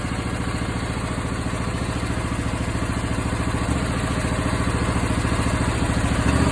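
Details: Briggs & Stratton 20HP V-twin at idle, popping from the exhaust not the intake, about three pops a second, louder in winter and briefly gone after Sea Foam; fixed by adjusting valve lash, caused by incorrect valve clearance.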